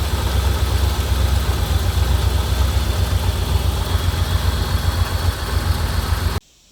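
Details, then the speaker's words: 1987 Corvette: deep, uneven lumpy rumble that cuts out when throttle is released; engine dies and floods itself again, fuel getting into the oil, owner suspects fuel seeping past piston rings from severe flooding. "we did finally get this thing to run and hear what it sounds like but as soon as i let off the throttle it did die and it flooded itself again"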